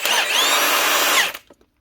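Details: Milwaukee M18 ONEFHIWF12 1/2-inch impact wrench, after fitting a new rear bearing plate to cure its rattle and growl: high, even whir for about a second and a quarter, then a clean spin-down with no grinding or rattle; sounds healthy.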